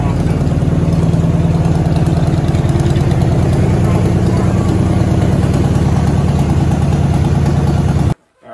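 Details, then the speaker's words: 1976 Pontiac Trans Am 50th Anniversary, Pontiac 400 V8, running on its own for the first time in 15 years after fuel system work; steady, even idle with no misses or knocks; normal running. "on the bright side of the car i mean it runs by itself by itself"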